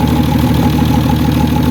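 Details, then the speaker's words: Ford XL Falcon ute after carburettor rebuild, starts easily, idling: rapid even puffing tick over the engine note, a big crack leaking, suspected exhaust leak near the manifold, not confirmed. "just there, it's a big old Crackosaurus Rex, isn't it? Yeah, that's just horsepower leaking out."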